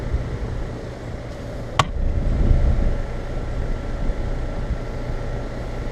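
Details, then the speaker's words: Newly installed Rheem EcoNet 3-stage inverter outdoor unit, with factory compressor blanket, commanded to high-stage cooling and apparently ramping up slowly: low, even hum with a single click and no rattle, buzz or squeal; normal quiet running. "one of the most quiet reams I've installed yet comes factory with a compressor blanket on this model"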